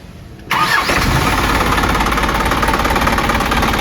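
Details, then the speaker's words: Isuzu 4HG diesel (Elf truck) after overhaul and fixing oil leaks: quiet, then the engine catches instantly and easily and settles into an even, steady clatter with no misses or knocks. Typical conventional diesel sound; healthy start and idle. "Suaranya juga oke khas diesel konvensional ya."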